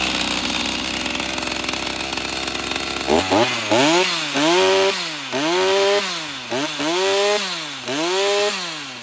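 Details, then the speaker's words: Stihl MS390 chainsaw, straight-gassed, first start after teardown and rebuild: fires up and revs cleanly in repeated throttle blips, rising and falling smoothly with no misfire or bogging; runs well, though the oiler worm gear was found shredded. "anymore that sounds so good"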